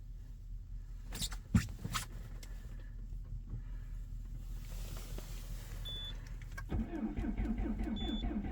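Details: 2.0 HDi diesel with EGR off, extreme cold start at -22°C: slow, labored cranking for several seconds, then it catches and settles into a loud, rapid, strong knocking clatter. Hard cold start.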